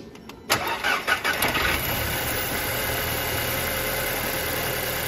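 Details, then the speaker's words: Salvage 2008 Audi A4 2.0T Quattro 6-speed manual, after swapping the cylinder 1 and 2 coil packs: short crank, fires immediately, quick revs, then a steady even idle. The cylinder 1 misfire is gone and the computer shows zero misfires. "well that's the oddest thing our misfire has completely gone away i just checked the computer and i have zero misfires now"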